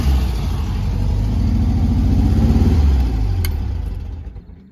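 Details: Air-cooled VW flat-four, likely the 1200, idling from a cold start with an even, steady low putter that swells with a rev and settles back; a sweet, healthy runner.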